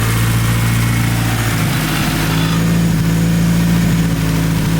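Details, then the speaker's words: Big-turbo Hyundai Genesis Coupe at idle: lumpy idle with a loose part tapping irregularly against a pipe; owner says it's hitting the pipe and needs a bracket to hold it clear. Exhaust pipe contact rattle. "That sound you're hearing is this. It's hitting this pipe. I gotta move this back off so."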